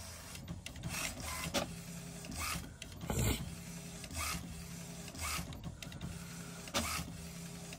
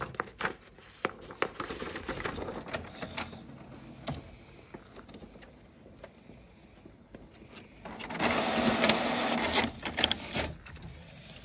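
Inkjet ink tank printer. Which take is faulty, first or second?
first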